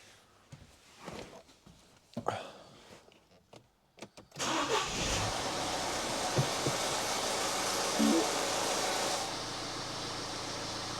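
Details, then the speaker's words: 2012 Mini Cooper D 1.6 diesel just after an oil and filter change, started and left idling without revving: busy rattly valvetrain chatter at startup while oil is drawn back up, settling to a smoother idle within seconds. "Probably hear it quite chattery there to start with. That's because the oil's been drained down. It takes a little while for it to draw it back up, which is what's quite important, not to rev the engine straight away, just let it idle."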